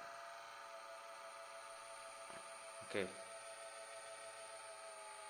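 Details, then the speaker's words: HP Pavilion ba-001ax laptop fan at switch-on: steady, rough, high whine with a single knock partway through; the failing cooling fan is replaced with a new one. "I'll just show you what my problem actually is when I sojourn the laptop hope you can hear the laptop is making this sound"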